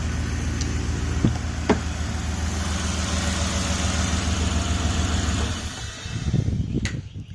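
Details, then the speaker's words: Cheap WJ Jeep Grand Cherokee that stalls and won't restart (injector pulse reportedly stops), with new coils and battery. It ran 15 minutes parked fine; a steady, slightly uneven low idle with a soft exhaust puffing edge and no knocks or misses: exhaust leak. "It's got an exhaust leak, so I'll start it up."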